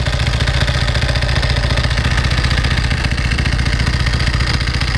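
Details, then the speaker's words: 1995 Ducati 900SS SP idling warm: light rapid clacking about four per second from the open dry clutch over a lumpy twin idle; harmless normal rattle, louder with clutch pulled in. "This is the open clutch. This is that clacky clack sound you hear when it's running."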